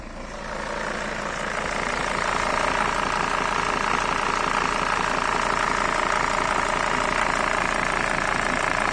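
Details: Mercedes Sprinter van diesel at idle, warmed up, clutch released: idle starts even, then a rough metallic rattle builds at about two to three beats a second with hunting idle; worn dual-mass flywheel, possibly unsettling crank sensor readings.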